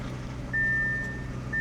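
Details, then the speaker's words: Hail-damaged car with 183,000 miles, not started in a long time, push-button start. A steady high chime repeating about once a second warns to turn off the ignition before leaving the car. "Turn off ignition before leaving the car."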